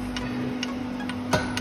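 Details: Car wheel: sharp, ringing metallic tick about twice a second, one per wheel revolution, on both asphalt and snow; first blamed on the caliper or a stone, but a large nail in the tire was striking the brake disc.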